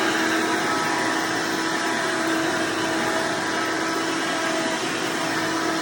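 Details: Hoover Elite vacuum owned since May 2024, bearings greased, after replacing the 7-blade fan impeller with a 20-blade upgrade: steady high-pitched motor roar with constant hum, no rattles or surging; noise reduced but still somewhat loud; normal running.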